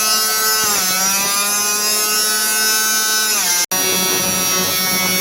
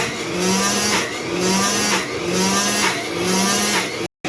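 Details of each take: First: 1930s Cinderella washer, universal AC-DC motor, 110 V 2 A, low-suds detergent plus too much dish soap: after about five minutes, high strained whine with stacked tones, then pitch sweeps down; unloaded motor overspeeding from suds lock. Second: 1930s Cinderella washer with a 110 V 2 A universal AC-DC motor, half the over-soaped water replaced with fresh: steady motor hum with a slow surge about once a second, less high-end noise than during suds lock, running normally.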